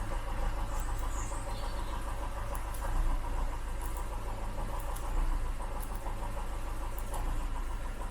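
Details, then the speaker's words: Ford Cortina MK3 petrol four-cylinder at idle in a spark-knockout test: slightly lumpy idle that barely drops when cylinder two's plug lead is pulled, so cylinder two is not firing. A bad valve is suspected, though compression didn't show it. "cylinder two hardly makes any difference so we've got a problem with cylinder two"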